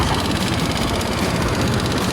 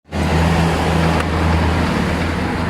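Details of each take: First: Honda Click 125i fuel-injected scooter that was hard starting, not accelerating and stalling, after fuel pump motor replacement: steady, even idle with smooth unbroken beat, no knocks or misses; normal running. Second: Honda Click 125i scooter hard to start, won't accelerate and stumbles, caused by low fuel pressure; uneven wavering beat that won't hold steady. Hard starting and hesitation from low fuel pressure.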